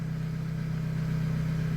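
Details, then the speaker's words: Opel Agila 1.2 16v petrol at 158,695 km idling with a steady, even low hum after fuel pump reassembly and penetrating oil; pump now barely audible, only light operation. Normal idle. "écoute elle est plutôt stable la pompe bizarrement on l'entend même plus on entend un léger fonctionnement"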